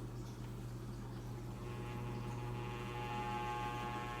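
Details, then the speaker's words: Floor fan before cleaning and oiling: steady low hum with a constant buzzing vibration drone under the airflow; very noisy, cause unknown, blades need cleaning. "but there's something in then it's like making so much noise the vibration so that it really annoys me now I mean a defendant needs a good cleaning to the blades"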